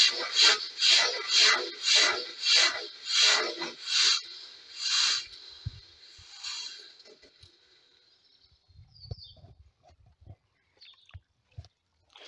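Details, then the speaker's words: Mk3 horizontal stationary Stirling engine with newly fitted brass piston guides, lubricators and a mild-steel annular regenerator: rhythmic scratchy grinding about twice a second fading as the engine coasts down; slides not jammed, fairly free to move, but owner suspects the brass binding against the steel. "not jammed as such it's uh it's fairly free to move there's lots of grinding going on that's all right it's all good experimenting I get to see what's going on now"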